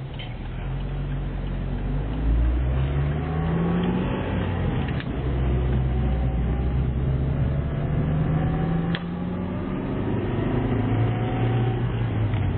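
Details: Chevrolet Niva 1.7i with 42x34 valves and 14 camshaft, first kilometres after engine rebuild, before chip tuning: deep, steady idle with a smooth, even beat and no knocks or rattles; healthy idle.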